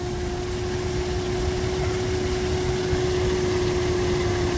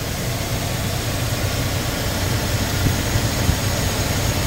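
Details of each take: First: 2001 Nissan R50 Pathfinder 5-speed 4x4 at idle: steady mid-pitched whine from low on the engine that never wavers; battery went dead and was replaced; alternator still charging but noisy, replaced with a used OEM junkyard alternator. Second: 2001 Nissan R50 Pathfinder 5-speed 4x4 running after the whining alternator was replaced with a used OEM junkyard unit, fan shroud still off: steady, even idle with a smooth low rumble, whine gone and charging normally.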